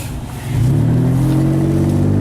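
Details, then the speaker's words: Tracker, daily driver, test drive after driver front wheel bearing replacement: deep, loud blatting drone that swells as the engine revs, far too loud because the exhaust fell off and broke. "let me take it for a little test drive here and I'm sure you can hear it's not exactly quiet"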